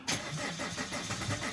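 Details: Opel Vectra C Z19DTH diesel, reassembled engine that won't start: starter spins at an even crank rhythm with no firing at all; fuel starvation from a clogged pump strainer.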